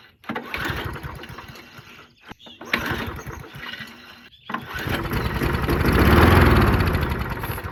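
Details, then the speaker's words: Murray 22-inch push mower, 5 hp Briggs flathead, unrun 20 years, possibly waterlogged, before carburetor work: pull-start attempts, then catches and buzzes unevenly a couple of seconds, rising and fading; runs only on starting fluid. "all right so it does in fact run that's a good sign keep that doing that a few times okay so it's a runner"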